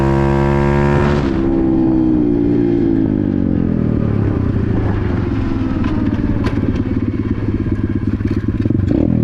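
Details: Apollo RFZ X18 125 single-cylinder four-stroke pitbike right after fitting a new PE22 22 mm carburetor; it revs, drops back and settles into a steady, crisp idle without stumbling, running healthy and sounding good.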